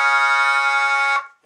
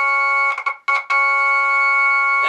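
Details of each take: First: Jensen V21 Leslie upper horn driver fed a 1963 Hammond B3 organ through a 122 amplifier: a held note comes out harsh and buzzy from a rattling diaphragm, clearing somewhat on higher notes, before the diaphragm is reset. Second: Jensen V21 Leslie upper horn driver, driven by a 122 amplifier from a 1963 Hammond B3 organ: chord rings pure and steady with no buzz or rattle; this driver is clean, unlike a buzzing one needing diaphragm reset.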